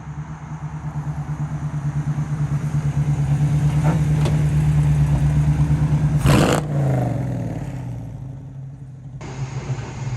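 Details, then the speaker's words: Dodge Challenger jacked up in the shop, in gear, after a run to about 3,500 rpm that broke third gear: low throbbing growl pulsing about three times a second from the rear end, not the transmission; damaged rear differential gear set. "i got the car jacked up inside the shop and you can definitely hear the noise now i've got it in gear and the good news is that it is actually coming from the rear end and not the transmission"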